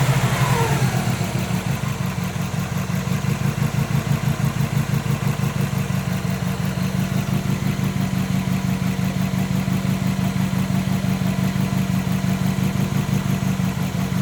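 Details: 2005 Subaru WRX EJ20 idling low with a lopey thump about three times a second and uneven exhaust pulse; code P0340, cylinder 3 misfire despite new coil, plug, front O2 sensor and battery; compression good, fuel flowing, plug sparks.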